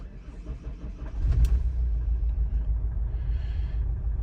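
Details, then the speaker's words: Opel Zafira B 1.9 diesel (owner says 120 hp), 292,000 km, at idle: deep rumble settling into an uneven shaking idle with no clear misfire, barely revving below 2000 rpm but pulling normally above. "вона якось дивно працює її підтрушує хоча при цьому пропусків запалювання немає Ну і дивіться вона на газ ледве набирає оберти і при цьому її підтраює"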